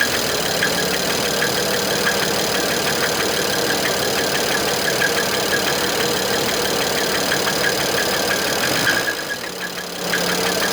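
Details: BMW E61 with N54 engine, previous owner claimed it was seized, copper throughout the oil: idling six-cylinder with a sharp, steady knock about three times a second from a bad bearing.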